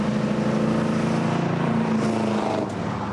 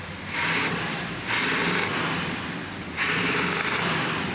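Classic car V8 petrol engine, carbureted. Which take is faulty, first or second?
second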